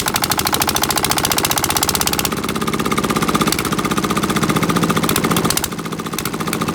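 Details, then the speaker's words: 1979 Sian single-cylinder diesel engine (China), revived after sitting for years with a seized rusted injector pump, weak rings and pitted valves, hand-cranked with compression release: sharp regular thumps, steady speed easing slightly. Normal running. "anyway i'm going to show you how it should run and how it should start these are very hard to start"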